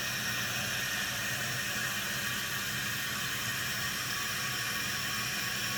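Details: Costco Water Ridge C22148C one-piece toilet refilling after the fill-valve seal/gasket was replaced: a steady hissing rush of water filling the tank, even and uninterrupted, with no gurgle or dripping. The refill is normal, with no leaks.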